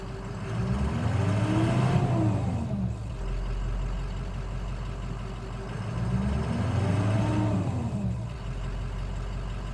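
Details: Removed 2006 Powerstroke 6.0 diesel that ran well: blipped twice with clean rise and fall, then an even, clattery idle. Injectors loud compared to the Cummins, considered typical of the Powerstroke. Normal idle.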